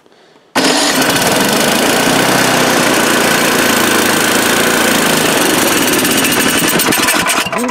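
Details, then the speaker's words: Old Craftsman snowblower small engine, choke being turned down from fully up: runs loud with speed rising and falling instead of holding steady; surging that fresh oil, gas, spark plugs and Sea Foam didn't fix, later traced to the carburetor. "so let's do it again and then I'll start to turn the choke down and you'll hear the revving"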